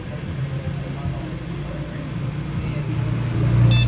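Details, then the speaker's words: Desktop PC with no display, after swapping in a known-good RAM module: low hum, then one short high POST beep; monitor green light comes on and display appears, normal boot. "যে টিট করে একটা beep দিল তার মানে এই যে display চলে আসছে"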